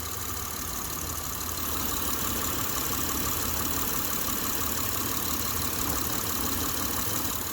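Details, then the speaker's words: 2007 Saturn Vue (Honda engine) idling while the engine is pushed by hand: loose, irregular knocking about three a second, a worn engine mount whose rubber is gone. "You hear that knocking? That's usually a sign of a bad motor mount. You shouldn't be able to just push your engine slightly and hear that knocking. It's a sign the rubber is gone."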